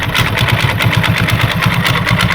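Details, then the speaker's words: Hero Super Splendor single-cylinder, engine rebuilt two months earlier, no oil circulating: steady rapid heavy knock about six times a second over idle, crank visibly wobbling off-centre; bent crankshaft (crank assembly out of true) knock. "हमारा cement जो है सही centre से नहीं चल पा रहा है और इस तरह से सा र है"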